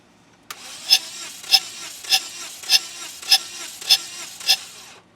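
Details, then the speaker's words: Toyota Scion running poorly with misfire, already fitted with parts bought online: steady airy hiss with sharp puffs about 1.7 per second while cranking, compression escaping an open cylinder, mic placed by engine. "I can hear the compression coming out of it when I was in the car"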